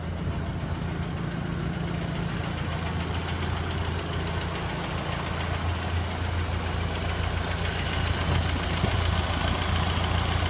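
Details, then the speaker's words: 1928 Ford Model A Tudor sedan idling after new Aries muffler installed: steady, even low putter with smooth regular beat, no ticking or hissing; no exhaust leaks, sounds much better. "No leaks there. Sounds pretty good there. Boy, that sounds great."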